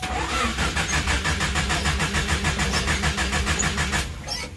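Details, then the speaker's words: Mitsubishi Colt T120 van, morning start after sitting unused: the starter churns steadily at about three compression beats a second for over four seconds without catching. Hard starting; the owner suspects carburetor adjustment or dirt. "Hai kok mati ya ini setelan karbu nya Ini kurang sip ini [Musik] biasanya sekali pencet langsung jreng ini"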